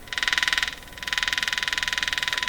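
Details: Arvin 444A four-tube steel-case radio: a rapid, raspy pulsing buzz, about seventeen pulses a second, over a faint steady whistle. Pulsing interference signal.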